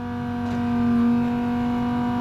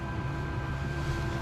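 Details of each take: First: Land Rover Discovery Td5 diesel with the key on, during a diesel leak hunt near the fuel filter: a steady, fairly loud whine at one pitch. Thought to be a noisy fuel pump, which is suspected rather than confirmed. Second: Land Rover Discovery Td5 diesel, ignition on after fuel-line copper washers were cleaned and PTFE-sealed: even, steady low electric hum of the lift pump priming and building pressure; no leaks now.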